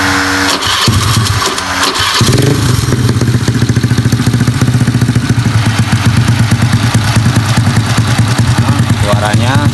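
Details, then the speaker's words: Honda Beat carburetted scooter with 130cc spec, after replacing the piston and camshaft because a broken piston ring made a harsh knock at high RPM: starter whirr, then the single cylinder settles into a steady even putter with no rattle. "Ya, suaranya sekarang di RPM tinggi enggak bunyi kasar lagi karena permasalahannya dari seharnya yang ya semplak itu ya yang bagian ringnya."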